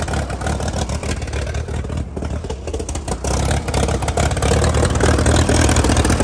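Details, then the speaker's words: 1952 Case DC3 tractor, parked about 15 years with a tree grown through it, first run; low chugging idle evening out after missing earlier; owner wondered if choke partly on; now running fairly good. "it's running better there okay to let it run for a second sounding fairly good"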